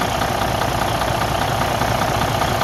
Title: Freightliner Cascadia DD15 engine knocking noise broken engine internal problem